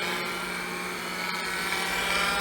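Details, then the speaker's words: IBM PC AT 5170 MFM hard drive, run through its own controller in a Compaq Deskpro 286 after clock battery leak damage: steady high whine with a low hum as the drive spins up; rough spindle bearing suspected, not confirmed. "all right floppy drive is spinning our hard drive is spinning"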